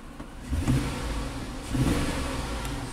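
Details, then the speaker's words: 2004 Chevy Avalanche 5.3 L V8 with 67,000 miles, reported misfiring on up to four cylinders; two short revs with an uneven, stumbling exhaust note, scan tool counting misfires on cylinders two and six: engine misfire. "it is shaky right now I see a misfire cylinder six it does feel like a single cylinder misfire now"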